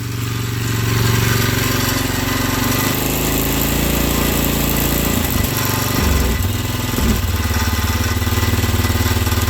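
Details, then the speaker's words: 2004 Polaris Sportsman 400 on a cold start, running rough and dying when given more throttle: loud metallic rattle over an uneven, lumpy idle that stumbles midway; engine rattle, cause not yet identified. "do you hear it hey that God awful rattling there shut up"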